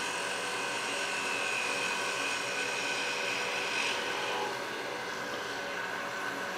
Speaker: Hear that vibration? So I'm not going to get as smooth a cut as I could because it's vibrating on the thin tenon.